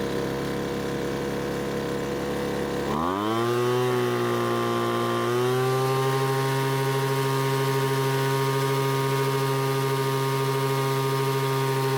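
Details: Poulan Pro blower that stopped running mid-use, after H-screw carburetor adjustment: picks up from a rough idle to a steady, even high-pitched wail at full throttle that holds clean without surging. A loose bolt was later suspected as the cause.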